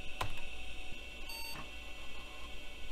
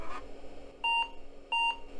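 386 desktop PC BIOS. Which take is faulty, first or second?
second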